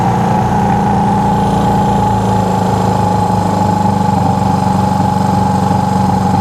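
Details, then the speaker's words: Honda CB360 twin after ignition timing adjustment with timing light; steady, even idle with firm low beat around four per second and constant hum; bike sped up and ran better as timing was set; normal idle. "when I was adjusting it you heard the bike start to speed up you know start to run better"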